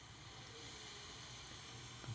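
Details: Portable cordless gas soldering iron: steady even hiss of gas flowing with no sputter or pulsing while the element glows and the tip heats; normal operation.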